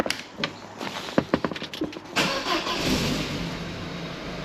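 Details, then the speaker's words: MK3 Astra 2.0 16v Ecotec after rewiring to correct management (knock, crank, cam sensors, secondary air relay): cranks, catches cleanly into steady even idle; no management light, out of limp mode, though two O2 sensor voltage codes remain. "that just ran with no management light woohoo well it's running fine now it's no longer in limp mode"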